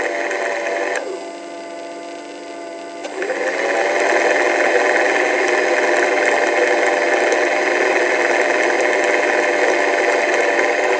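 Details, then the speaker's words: Sky Mule PNP RC plane stock motor, never flown, mounting nuts removed: high whine cuts out, then returns harsh and gritty with a regular rattle; motor bearing is shot. "motion as you can hear cutting out and making horrible noise"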